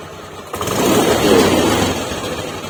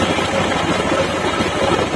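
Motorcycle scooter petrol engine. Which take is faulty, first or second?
first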